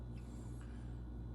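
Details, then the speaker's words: 1966 Mustang with 289 stroked to 331, hydraulic roller cam, idle set to about 750 rpm (stalls below 700): low, even V8 idle with a steady choppy throb; a squeak or rattle up front noted separately; lopey cammed idle. "it's got a pretty good chop to it"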